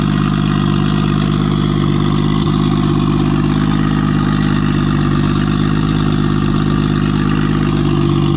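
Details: Nissan RB20 inline-six after fixing no compression in cylinder 5 caused by a faulty lifter holding the intake valve low; loud open-exhaust idle with smooth, even beat and no misfire gaps; all six cylinders firing.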